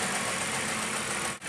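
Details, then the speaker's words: Car at idle during oxygen sensor test, O2 switching and short-term fuel trim near zero: steady even idle with smooth hiss, no knocks, misses or surges; engine running fine. "Now right now this car is actually running fine. The O2 is switching, and the short-term is keeping it pretty close to about 0."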